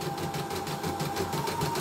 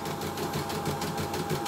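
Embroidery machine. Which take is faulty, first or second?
second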